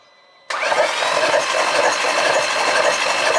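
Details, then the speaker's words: Mk5 VW Golf R32, under 50,000 miles, non-runner, cranking with fuel pump disconnected: even free cranking about four beats a second, no metallic clatter, no sign of valves hitting pistons. "the good news is it is turning over and it doesn't sound like it's hitting any valves uh so that's a very good sign"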